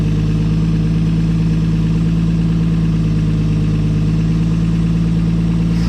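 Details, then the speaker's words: 1959 Edsel Ranger V8, electric fuel pump fed from a lawnmower tank, just started after cranking: steady, even burble at idle with smooth unbroken rhythm, no misses or knocks; running good, timing possibly advanced a bit much. "it's all running good old man"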